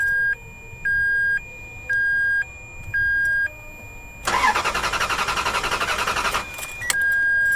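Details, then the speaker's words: Abandoned Ferrari, sat over seven years, on replacement battery: slow repeating two-tone chime, then even starter cranking about two seconds without catching; cranks no-start, immobilizer suspected, not confirmed. "andrew told us it cranks but it doesn't start he thought that was an immobilizer issue it sure as hell sounds like an immobilizer issue to me"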